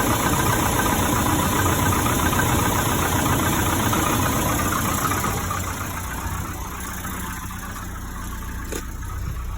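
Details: Volvo 740 idling after fitting a correct, slightly shorter two-sided belt in place of a wrong-size one that would not tension; steady even idle, smooth low rumble, no squeal or chirp, now non-squeaky.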